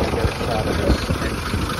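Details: 1920s Rolls Royce Springfield Ghost after start-up with fuel pressure pumped up and both ignition systems on, shutters open: soft, slow, even idle with low burble, no knocks or misses, engine "purring". Normal idle.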